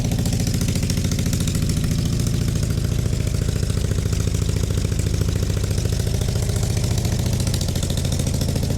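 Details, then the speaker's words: Project motorcycle at idle after fitting newly welded custom exhausts with new copper gaskets; deep, loud, steady burble with a slightly loose beat, exhaust sealed and healthy with no leaks or rattles. "I'm proper happy with that. That actually sounds like it's got an exhaust on it."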